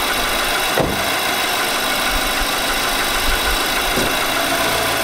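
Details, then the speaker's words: 2018 Nissan Armada 5.6 L V8, idling before its short block was replaced: a hard, diesel-like clatter with an occasional heavier knock from a scuffed cylinder wall. "i did a knock engine knock video where the engine was sounded like a diesel pretty much"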